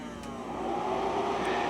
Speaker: all right so you can see the color wheel pressing power and that's going to start spinning funny not haha funny just WTF funny